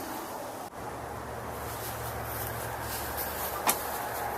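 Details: Lawn mower that wouldn't start despite a new carburetor, air filter and spark plug, after removing rust: the small engine runs at a steady, even pace with a smooth low drone and no misses or knocks.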